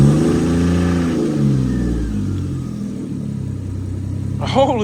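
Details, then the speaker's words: Lexus IS300 just fitted with Link ECU on a Panicmade plug-and-play jump harness, first start: catches, flares briefly, settles into smooth even idle, no misfire or stumble, AFR around 14–14.7. Normal start and idle. "crap yo hey yo it's so smooth now bro first try son"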